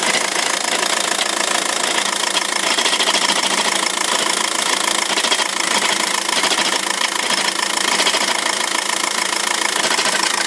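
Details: 2006 VW 1.9 TDI diesel with DSG automatic: harsh, clattery rattle over the idle from a worn dual mass flywheel that needs replacing.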